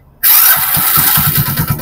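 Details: Hero Splendor BS6 motorcycle after replacing a noisy, worn timing chain and worn roller: clean catch on the first crank, settling straight into an even idle beat with no rattle from the timing side. Healthy start after the repair.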